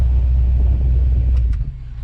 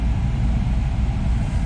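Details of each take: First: Camaro dash AC blower fan, AC still ice cold: heavy low droning hum, fan unbalanced by leaves; no cabin air filter found. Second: Chevrolet Camaro AC blower motor after removing debris and trash from it: steady, low, even hum with no rattle, ticking or scraping; previously loud.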